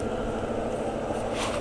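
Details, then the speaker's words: BMW EV conversion with a 10 kW charger while charging: the coolant pump switches on and the radiator cooling fans give a steady, even whoosh and hum with no rattles; normal operation. "So there's the coolant pump on, and coolant is flowing. And probably can just hear the cooling fans are on the radiator."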